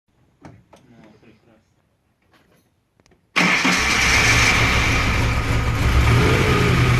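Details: VAZ-2103 engine knock: it fires and settles into a rough idle with a steady rapping knock, about three to four per second; the knock was first taken for a loose valve, but teardown revealed otherwise.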